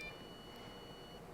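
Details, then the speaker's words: Chinese clone GM MDI J2534 diagnostic interface failing power-on self test. Faint high-pitched couple of error beeps over a quiet room before moving on; failing its power-up self test. "and I don't know if you could hear that but it has a couple of beeps and then it goes over to power so that's what's wrong with this one"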